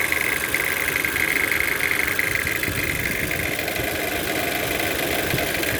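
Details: Toyota C-HR 1.2 turbo engine at idle: light, uneven metallic rattle over a hissy top end; source unclear.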